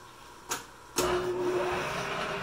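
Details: Leblond Dual Drive lathe powered by an American Rotary ADX 10 phase converter, first run, likely in its highest gear-driven speed: after a couple of clicks a steady even whirr with a faint constant tone; gearing sounds smooth and healthy.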